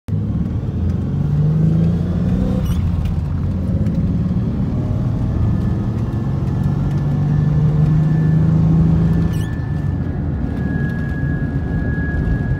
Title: Tacoma humming sound